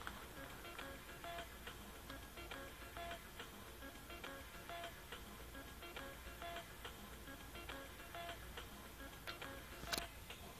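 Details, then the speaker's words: Record player skipping away from the label instead of toward it, music broken by popping clicks about every half second as the needle jumps grooves; owner suspects a worn, filed-down stylus tip, possibly needing the whole assembly replaced. "here it is skipping away from the label and when it skips away from the label this is what happens you hear that popping noise it's skipping away from the label instead of towards the label"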